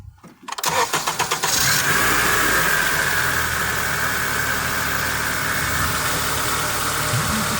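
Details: Honda power steering pump with a suspected air-sucking noise, after a fix needing only a 10mm wrench and before topping off with Honda fluid: quick crank into a steady idle with a smooth even hiss, no groan or whine. Normal power steering pump.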